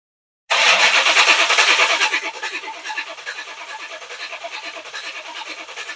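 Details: V8-swapped Chevy S10 with new Powermaster starter, Flowmaster 40 exhaust, fuel pressurized: starter spins in steady rapid pulses, about three per second, never firing; cranking, no start. Cause not confirmed.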